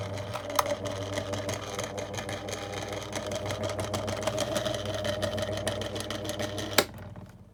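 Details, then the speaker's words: 2002 Lloytron F029 9-inch desk fan: a harsh, rapid rattling growl over the motor hum, then a click and wind-down; owner suspects the motor is half losing connection; growling motor. "That's just terrible. I know. He's half growling. Half half growling. Half struggling to properly cooperate and operate."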